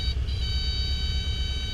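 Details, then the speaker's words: Piper Archer PA-28-181 with power near idle, nose being raised for a falling leaf stall: a steady high-pitched stall warning horn sounds continuously over the low engine drone as the aircraft nears the stall. "Yep, so we'll hear the horn any second now."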